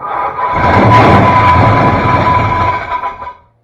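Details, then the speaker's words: 1966 Ford Fairlane GTA, first start attempts with the starter tight against the flywheel: loud tinny metallic ring over cranking and start for about three seconds, flywheel hitting the case; starter readjustment only partly helped. "Not as noisy, but it's still there. Almost sounds like the flywheel's hitting the case."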